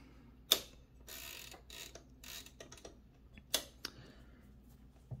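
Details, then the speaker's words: Torpedo 18B typewriter after carriage rack and related adjustments to fix a loud rattling carriage return; crisp ratcheting and quick sliding carriage run without loose rattle; smooth carriage return. "i think last night wasn't as smooth now it's [Music] a bit more comparable to the olivet electro 32 in terms of the smoothness of the carriage return courage flicking is now reasonably feasible um"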